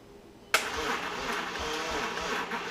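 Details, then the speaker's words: Audi B5 S4 on its first start attempt after a complete overhaul with ported intake manifold: starter cranks slowly and unevenly with no firing. Weak battery needs more juice. "Well, the good news is it cranks. It ain't gonna fire. It needs more juice."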